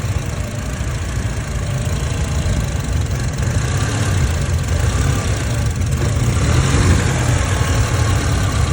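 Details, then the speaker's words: 2008 Honda CR-V petrol engine, recently swapped, with lean codes and random misfires on all cylinders: unstable, surging stumbling idle; torn intake sucking unmetered air, found with brake cleaner. "thing was whistling earlier but you can see it's unstable see that it's surging so with lean B and the misfires under load"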